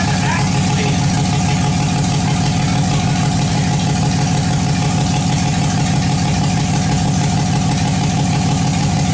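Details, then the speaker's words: LS V8 in a budget Factory Five Cobra roadster build, freshly started: steady low rumble with slightly uneven beat and intermittent popping at idle; source not pinned down, owner checking injector pulses and plans to replace the injectors. "Well, it started right up and I can't be happier, except all is not well. I'll play the video again and I'll let it play longer and listen for a popping sound."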